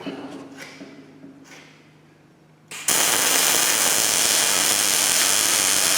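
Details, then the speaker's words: New Miller Millermatic 211 MIG welder on auto setting, beveled tubing joint, about 10 degree torch angle, half inch stickout: after a few clicks the arc settles into a steady, even frying crackle without sputtering; normal MIG welding arc. "ain't perfect but it seems to work well I think this is going to suit our needs period"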